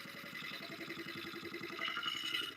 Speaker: I could hear this when I was going when it was going around. I was hitting there's a there's a an empty spot right there and it's it's from that notch that branch.